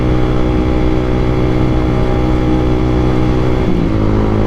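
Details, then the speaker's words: Honda All New CBR150R (K45R) riding at night: even engine drone easing off near the end, no ticking or knocking; the klotok noise heard the previous day is now gone, engine running clean. "Coba kalian denger, suaranya udah nggak kedengeran kan, nggak kayak kemarin kan."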